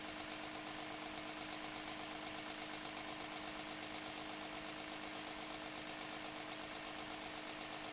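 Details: Refurbished antique GE Whiz fan with freshly oiled bearing oil cups, unused for a while, sitting on a cloth. Soft constant hum with a steady light whir and even pulse, no grinding or scraping: fan runs smoothly.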